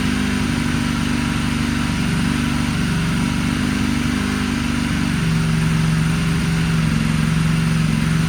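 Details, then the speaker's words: Salvage Ducati Panigale V4S, first start since purchase after throttle wiring repair, error messages on dash: loud steady even burble with no knocks or rattles, some smoke thought to be old oil burning off the motor. Normal idle. "this thing sounds good we got a little bit of smoke though uh I think some of the old oil and stuff that's on the motor is burning off this thing runs guys"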